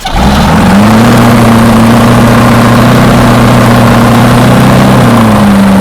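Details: 6.2 L GMC V8 diesel, first start after sitting 15-20 years, glow plugs heated: deep even drone rising with a short rev, holding steady then easing back; running smoothly on its own.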